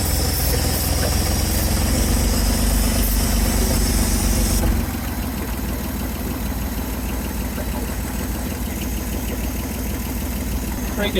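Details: 1970 Chevrolet C-10 junkyard truck, fuel line pulled off the fuel pump and connected straight in from a freshly filled tank, before the vacuum leaks were fixed. Low lumpy idle pulsing about four times a second, dropping in level midway; runs but uneven.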